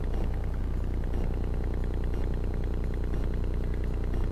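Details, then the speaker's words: Buried sprinkler valve (station two) driven through a Chat-R-Box device on its solenoid power wire: quick, even clicking about three per second over a low hum as the plunger snaps open and shut, locating the valve. "in fact yeah i never never had found it before but now with that clicking it's right here this is number two now i can fix it"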